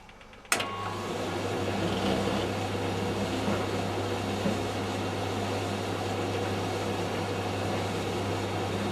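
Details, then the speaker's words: Tumble dryer, still faulty after an engineer refitted a bearing: it starts and settles into a steady low rumble with an uneven churn underneath. "can hear a rumbling noise. There it was. Obviously this is not right."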